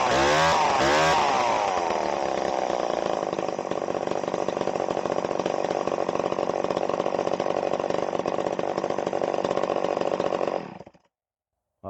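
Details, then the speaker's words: Vintage Stihl 011AV two-stroke chainsaw, first start after sitting, tank vent missing: buzzes at a fast, steady high idle with metallic clanking because the exhaust muffler is completely loose; idle also set too high. "Uh, but I did see a problem here, and that's the exhaust is just completely completely loose. You can hear it clanking around in there."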